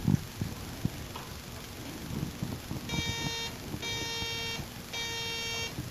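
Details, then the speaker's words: Electronic Measurements Corporation 802 signal tracer and generator: three short bursts of a buzzy, reedy roughly 400 Hz non-sine audio tone from its neon lamp relaxation oscillator, working normally. "the audio output Jack produces a roughly 400 HZ signal which can be seen on the oscope it's not a sine wave since it's generated by a neon lamp relaxation oscillator"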